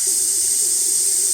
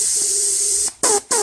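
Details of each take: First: VW 01P four-speed automatic valve body on/off solenoid, bench test: a steady hiss continues while the solenoid is powered, so it fails to seal. It works again after jiggling, then leaks intermittently, causing the transmission's intermittent fault. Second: VW 01P four-speed automatic transmission on/off solenoid, bench tested with air on the valve body: hiss starts and stops cleanly with each switching, quiet gaps when off, solenoid sealing for now but intermittently leaks when energized.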